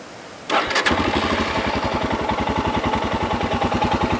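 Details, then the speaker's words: 2019 Royal Enfield Himalayan, 411cc air-cooled single, in neutral: a quick start settles into an even, loping "todong-todong" thump about three times a second, with metal audibly moving inside the crankcase; normal single-cylinder idle. "이런 전형적인 단기통에 토동토동 하는 소리가 나죠. 토동토동 소리뿐만이 아니라 이 크랭크 케이스 안에서 쇠가 움직이는 소리도 잘 들리죠."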